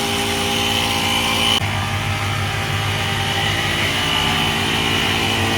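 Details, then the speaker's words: EverStart 1000 amp jump pack's built-in portable air compressor inflating a low, bulging tire via the valve stem. Steady, fairly loud buzzing motor drone with a shrill rattle on top at an even pitch; a little noisy but pumping normally. "Screw it on and flip our switch. He's a little noisy, but I should get that bulge out fairly"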